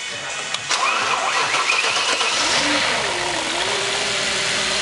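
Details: S4 engine starting: starter whirs, engine catches and settles to a smooth rising then steady idle, no timing chain noise on startup.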